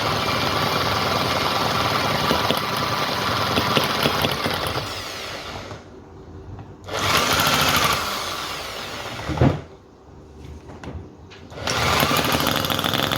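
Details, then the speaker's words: Cison FG-VT9 9cc petrol V-twin model engine, hard to start and tune, finally running after choke fiddling; loud fast buzzing with steady firing that dips and recovers as throttle moves, float now working, runs well until fuel starts running out. "well there you go folks we have it it's definitely working that took a lot of getting going it's much harder to get going than the vacuum engine"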